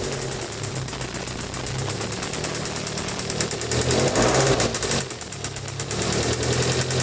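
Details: Evo 4G63 engine at idle that runs quiet for a while, then starts ticking and knocking, about three to four per second, with the rhythm rising partway through. The lifters were already replaced without change; cause unknown.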